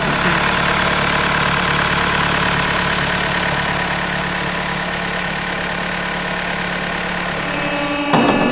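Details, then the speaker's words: Mazda CX-5 idling after a part was installed that is designed not to jerk the belt at shutoff or lower RPM: steady even idle, smooth low hum, no belt slap or chirp; healthy accessory drive, feels much better. "You can feel it. That it's much better. Rares: so, this is designed that, when the engine stops, not to jerk the belt."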